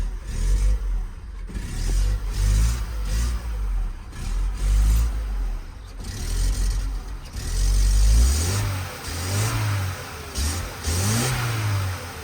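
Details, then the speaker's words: Project Opel Corsa after an ECU repair, which previously died whenever revved: engine blips up several times and drops back cleanly to a steady idle with no stumbling; revs nicely. Normal free revving. "Okay, it's revving. Sounds nice."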